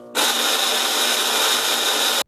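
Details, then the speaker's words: Whirlpool-built top-load belt-drive (splutch drive) washer: a harsh, steady whirring grind with a shrill high tone while agitating or spinning. Described as a very common problem that is usually an easy repair. "if you are having a noise problem while the washer is either agitating or spinning you may want to check out the other video in the series before you put yourself through the misery of listening to that horrible noise one more time"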